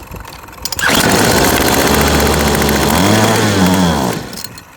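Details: Yardworks 25cc two-stroke trimmer after a new carburetor was fitted and the loose gas cap tightened: it catches after a short crank, buzzes up to a high rasping rev, wavers briefly, then drops away. First start after the carb replacement.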